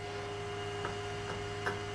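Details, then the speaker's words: Inventables X-Carve stepper motor with the driver potentiometer turned all the way down: a faint steady whine over a low hum with a few soft ticks and no turning. Starved of current, the stepper just sits there trying. "let me turn the uh turn it down here's what it's like if there's no power to the pot it's just sitting there trying but"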